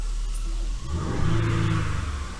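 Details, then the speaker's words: Genesis GV80 V6 turbo after replacing multiple failed GDI injectors and all six spark plugs: clean, strong free rev from idle with an even V6 note and no misfire. Bank 1 and bank 2 fuel trims now match. "yeah that's nice that's good I can hear that you know that V6 sound"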